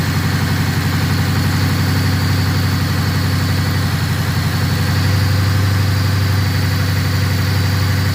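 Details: After repair, engine restarted: smooth even low idle with steady beat and no stumbles; the previous misfire is gone.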